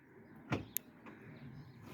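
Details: Hyundai trunk release, previously not working, working after all fuses were pulled and reinstalled: single solid thunk then sharp latch click; trunk release actuator firing normally.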